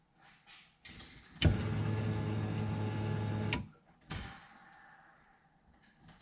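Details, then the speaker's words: 1969 Camaro with custom EFI conversion after replacing a failed Aeromotive 11569 in-tank fuel pump in a 1996 Impala/Caprice tank, key on leak test; smooth electric hum for about two seconds then clean shutoff, normal priming. "all right i'm gonna check for leaks listen carefully should hear the pump come"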